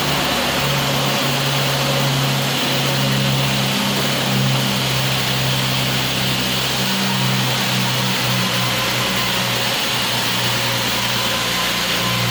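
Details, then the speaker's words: Nissan Skyline R34 inline-six at steady, even idle with no misfires after cleaning water-flooded spark plugs and coil packs; before warm-up, runs smoothly on all cylinders. "so for the car is really nice uh good i haven't hear any uh misfires usually when you turn it on it will sound like a kind of like a motorcycle"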